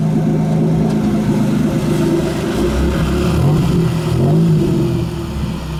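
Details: 1993 Dodge Stealth automatic taking off: engine revs flare unevenly while the car struggles to accelerate; transmission slipping and getting stuck in gear, with a rebuilt spare transmission to be swapped in.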